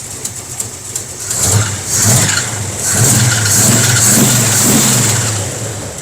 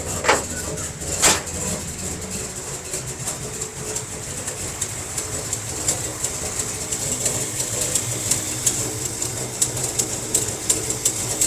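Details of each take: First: Barn-find 1957 Chevy wagon big-block V8 running for the first time in about 20 years, after a carburetor fix and a working fuel pump: a loose idle, several clean throttle blips, and a suspected exhaust leak. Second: 1957 Chevy wagon barn find with big-block V8, first run in about 20 years after carburetor and fuel pump work: idling steadily with a low rumble and a sharp, fast ticking puff from an exhaust leak somewhere.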